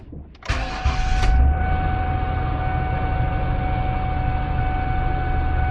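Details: 2002 Ford Taurus 3.0 V6 after replacing the faulty cylinder 3 fuel injector that caused a P0303 misfire: short crank, quick catch, smooth even idle with faint steady whine, no stumble; scanner shows no injector fault.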